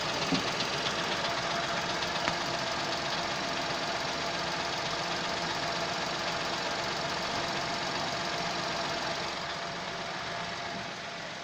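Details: Chevrolet Onix 2021 LS 1.0, first cold start of the day: busy, fast ticking clatter of about four beats a second over the idle, source unclear. Owner doubts it is normal and the car is under dealer inspection. Cold start engine noise.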